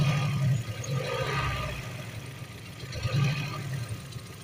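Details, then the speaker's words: Four-cylinder coil-pack engine after the suspect coil was swapped for a known-good used one: a low idle with a regular stumble from the still-dead cylinder. The coil is okay; a faulty spark plug is the cause, and all four plugs are to be replaced. "still dead cylinder which means the coil's okay I just need a spark plug"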